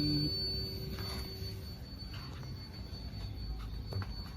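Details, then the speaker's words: Jeep XJ (Cherokee) at key-on, no start, ECU tested before repair: thin steady fuel pump whine runs continuously without cutting off, check light not coming up; ECU shorted. "แล้วก็เสียงปั๊มติ๊กก็ช็อตทำงานค้างนะครับคล้ายๆกับใบแรกครับเสียงปั๊มติ๊กยังดังยาวอยู่นะครับก็คือกล่องมาช็อตทั้งคู่นะครับ"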